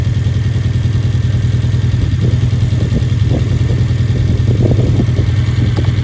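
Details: 2011 Hyundai Genesis Coupe petrol engine idling with an uneven, stumbling beat from a misfire on cylinder 4, a common issue.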